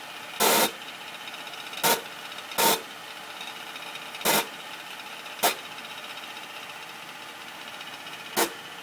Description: 2009 Acura MDX making strange noise after A123 service.